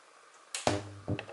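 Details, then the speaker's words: Kinter MA-200 four-channel amplifier on a 15 A bench supply at 12.5 V: loud thump at switch-on, then low hum and short bursts from the speaker; DC passing to the speakers from failed filter capacitors needing replacement. "that's dc current going straight through to this because you know the speakers aren't going to last long if you keep playing it so you can have to definitely change those filter caps"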